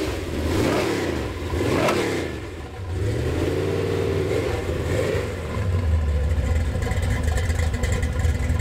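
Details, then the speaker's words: Gen VI L29 454 big-block V8 on an engine stand, factory ZZ502 hydraulic roller cam on 110 LSA, stays around 180 degrees: deep loping idle wandering in speed with throttle blips; runs nicely, healthy. "That thing sounds good. Yeah, it runs real nice."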